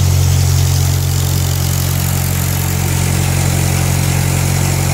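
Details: 1946 Ford tractor (called both 2N and 9N), 3rd start after full engine gasket set, carb rebuild, valve seals, bent exhaust valve fix, and timing and carb tuning: strong, even low idle at about three beats a second with no misses, knocks or hunting; normal idle.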